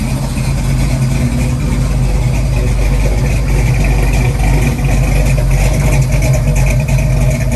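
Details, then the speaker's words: Rebuilt Ford 289-based 331 stroker V8, second start-up on choke, idle stop cranked up: deep, loud, uneven loping idle that wants to die; oil pressure and water temp up, owner says mixture screws need adjusting; earlier tapping noise gone. "okay it's island now [Music] wants to die [Music] got oil pressure water temp is up now definitely needs the idle fixed"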